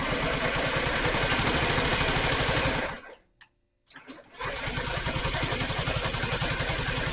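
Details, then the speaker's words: Honda Metropolitan scooter after a new carburetor intake hose, with the fuel pump cycled and float bowl filled: the starter churns rhythmically, pauses and churns again, but it never fires; cranks but won't start, fuel delivery in question. "okay it's turning over it's not trying"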